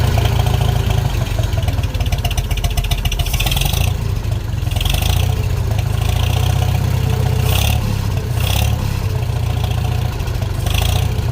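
Deep, even engine beat with a few smooth rev rises and no knocks or misses; this old tractor engine runs healthy.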